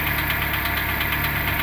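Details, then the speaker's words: 2008 Renault Logan 1 at cold idle: fast light rustling chatter over engine note, absent right after starting, appearing after about 1:25 then fading; source unclear, possibly always present. "Как только заводишь, его нету. Оно появляется через какое-то время, потом пропадает."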